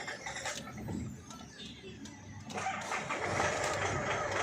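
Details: Isuzu Alterra diesel with check engine light, hard starting, fuel knock and low power. Long labouring crank before it catches and rises; cause found as a harness wire at the engine front grounding, fixed by insulating with electrical tape.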